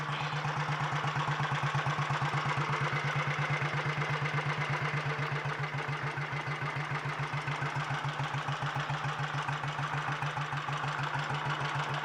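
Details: 1951 Royal Enfield Bullet 350 G2 after full engine rebuild, ignition timing set as wanted via advance lever, new magneto drive lip seal: steady slow idle, even beats, no rattle or misfire; sweet-running.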